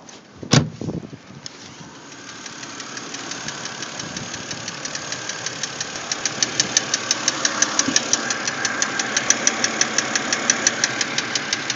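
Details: BMW X3 idling: light regular ticking about three per second over a steady hum; engine noise, cause not identified.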